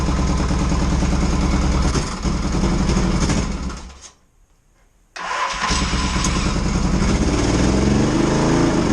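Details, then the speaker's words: 1982 Yamaha XS650SJ twin on a lift, low on fuel, test fire after battery refit (dead battery suspected for earlier no-run): fires on choke, settles into steady even low thump with a brief dropout; starts and idles fine, idle a touch low. "okay good test um yeah not a lot of fuel in it didn't want to run it too hard"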